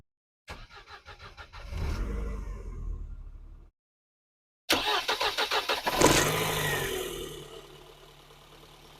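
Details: Mercedes 190E 2.3 16v Cosworth, cold start: two cranks, a quick catch and brief rev, then a steady idle; the exhaust sounds good. The valve clearance had been set loose, and uneven firing between cylinders leaves slight imbalance. Normal cold start.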